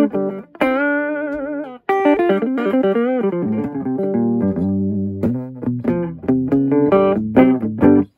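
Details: Torque Acoustics T100L guitar amp, made in England around 1989 to the early 90s, after repair of a no-sound fault: clean, clear guitar notes with crisp attack and no hum or distortion; normal amplifier output.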